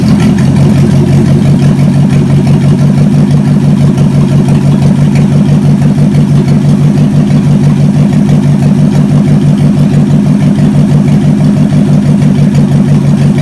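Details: Chevy 283 V8 from Facebook Marketplace, running on the shop floor: deep, even idle pulsing about three beats a second with no tapping or misses; compression later about 100–120 psi; normal idle.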